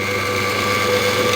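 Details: Scheppach DMS 900 wood lathe after pulley and bearing replacement, while the rear lever shifts the variable pulleys toward faster speed: clean, steady hum that lifts slightly as speed rises, bearings quiet. Normal running.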